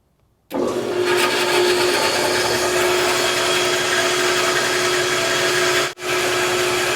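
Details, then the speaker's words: Harbor Freight bandsaw, first run after the burnt 3/4 hp motor was swapped for a Leeson 1 hp 1725 rpm motor: steady hum and blade whir, running smoothly but backwards because of how the motor shop wired it; fix is to swap two leads. "so the motor is going the wrong way take this off and i'll show you they wired it up at the um the place i got it the motor store so blade's supposed to be going this way and if i kick it on it's going the wrong way"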